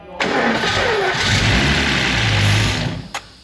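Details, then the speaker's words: Mercedes S600 drift taxi, battery had been flat and it was hard to get going; cranked after compression test (12–14 bar). Engine catches almost at once and settles into a steady, smooth idle; starts and runs normally. "Beindult az autó."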